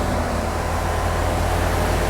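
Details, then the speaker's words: Fox Body Mustang carbureted V8 with a four-barrel carburetor, started cold on the choke after the air-fuel mixture was richened to cure a rough idle: steady, even low rumble with no misses, stumbles or surging; healthy idle after repair. "There it is, running on the choke. Joe, we're gonna leave it running."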